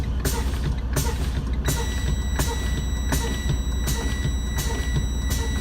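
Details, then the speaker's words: Diesel truck idling during a pre-trip inspection, brakes pumped down to drain the primary and secondary air tanks: a steady high warning beeper sounds as brake air pressure falls too low. Low air pressure alarm working as intended. "You hear the beeper go off. Okay?"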